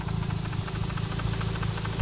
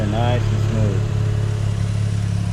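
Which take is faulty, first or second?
first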